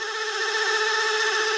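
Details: 1963 Hammond L100 organ whose tonewheel generator was re-oiled: a steady whirring rub with constant high tones and a gritty edge that does not change. It still drags; owner suspects the drive motor rather than the tonewheels.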